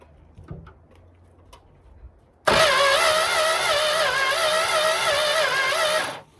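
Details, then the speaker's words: Barn-find Dodge Monaco that sat for decades with almost no compression (rings suspected stuck). Key in run, the starter cranks at an even, wavering rhythm without firing. No spark reaches the plugs; coil or distributor points suspected. "okay so there's no spark coming out of the coil so check the connections and switch out the coil and see what happens"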